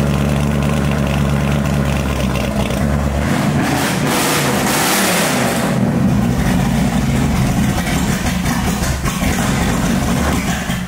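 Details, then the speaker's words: 1965 Mustang with supercharged, aluminum-headed 289 V8 and big cam, first fire-up with exhaust after a thermostat delete: loud V8 loping at low idle, briefly blipped, then back to a slow, uneven beat. The idle sits too low, and the owner plans to raise it and adjust initial timing. "to turn that idle up a little bit. That is me. Make a small change there on the initial."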